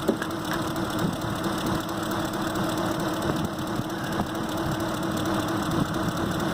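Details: 2005 Ford Expedition 5.4L V8 (2008 engine), new coils: uneven idle with irregular ticks and stumbles over a steady hum. Cylinders 7 and 8 get no signal; misfire traced to failed coil drivers in the engine computer (PCM).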